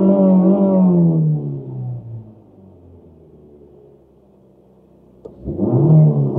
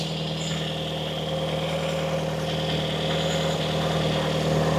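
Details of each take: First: 1990 Toyota Corolla 4WD estate, parked 16 years, driving around a field soon after revival: engine stutters, loses power and sags toward stalling, then recovers and revs; cause not identified. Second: 1990 Toyota Corolla 4WD estate, parked 16 years, just started and warming up: even, quiet idle with a faint puffing tick about four times a second from a slight exhaust blow; otherwise healthy, quiet engine.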